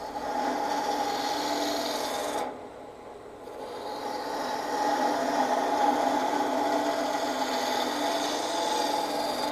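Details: Turning a Christmas ornament bulb on the lathe after truing a piece that bounced out-of-round since remounting: even, steady gouge rasp with no rhythmic knock or bounce, cut riding the bevel cleanly.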